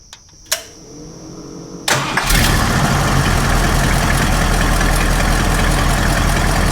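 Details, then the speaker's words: Ford F250 460 V8 after the Holley Street Avenger was swapped back to the original Holley Motorcraft carburetor: clicks, cranks, catches and settles straight into a smooth, even idle; normal start and idle. "we've got the original Holley for motor craft carburetor back on it and she starts up idles runs just absolutely perfectly absolutely perfect"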